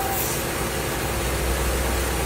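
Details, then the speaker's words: Fiat engine at idle: steady hiss with a faint thin whistle that stops when the oil filler cap is opened; cause found as a cracked PCV valve diaphragm leaking vacuum. "Barulho localizado aqui na região do motor. A gente barulho muito forte. Motor funcionamento regular."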